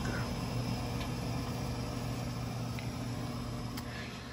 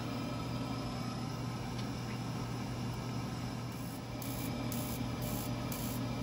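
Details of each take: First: Burnham Alpine boiler, about 10 years old, with a hard lockout error 25 and no heat; low, steady burner rumble with soft fan hum and no booming or pulsing; normal firing. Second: Burnham Alpine boiler, about 10 years old, in Hard Lockout Error 25 with no heat, Sage controller suspected; steady fan hum and faint rapid igniter ticking, frayed wire noted, but no burner rumble follows; failed ignition, no light-off.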